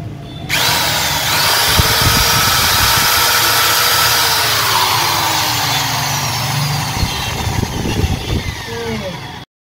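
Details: 13 mm EID impact drill after repair of hammer function not working, run in normal mode: steady high whirring spin with even motor note, no hammer rattle, cutting off cleanly; drill runs normally.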